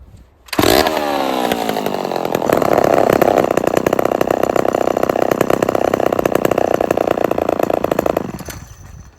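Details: Old Homelite XL12 chainsaw, two-stroke pull-started: busy, buzzy idle that keeps driving the chain, engine bogging when chain is stopped; faulty clutch or clutch springs not disengaging at idle.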